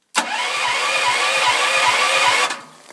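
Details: Brand-new Gen7000LP propane generator with a new battery, full oil and tank valve open: steady starter churn with quick pulsing for over two seconds, no catch or firing; it cranks but won't start.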